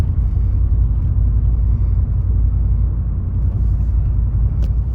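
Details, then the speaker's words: 2019 Chevrolet Silverado 5.3 L V8 with active fuel management, Range AFM disabler (rated up to 2018) plugged in: deep steady drone climbing a hill under load, no crisp V8 note; still dropping to four cylinders despite disabler. "yeah it's still dropping cylinders so I don't know I don't know why it worked when I first plugged it in this morning and why it's not working now"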